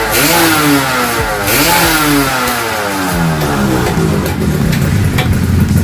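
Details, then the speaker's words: 2003 Yamaha F1ZR (F1Z R) two-stroke engine, freshly assembled with RX-S piston spec, first test run: crisp revving with pitch climbing and dropping smoothly with throttle, no misfire; pulling cleanly. "Mesinnya sudah terpasang sepenuhnya. Kita hanya perlu menjalankannya untuk uji coba. Bunyinya seperti ini, Bro. Untuk versi R-spec menggunakan piston RX S."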